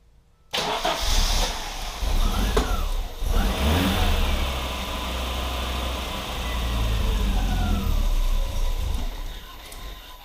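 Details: 1987 Audi 5000 CS Quattro turbo after CIS fuel injector and spark plug replacement: cranks, catches cleanly and idles smoothly, no stuttering in first 15 seconds as before; normal start and idle.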